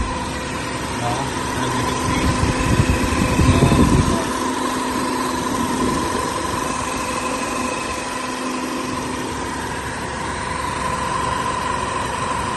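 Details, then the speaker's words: Chevrolet Malibu Ecotec engine after timing chain retimed and chain adjuster refitted (whining from front timing chain began after water pump replacement): even, quiet idle, steady light purr, no whine or rattle; normal idle after repair. "so then we start the car and it's super quiet now I will share the final video once I fit everything back okay"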